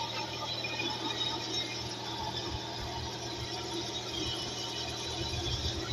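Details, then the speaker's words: Hyundai Coupe (Tuscani) V6, timing belt done under 500 km ago: fast light ticking under a thin steady squeal over the idle hum; abnormal engine ticking, owner suspects a pulley. "entendez? L'espèce de... Pas normal ça. Un V6 j'en ai eu avant, ça faisait pas ce bruit là."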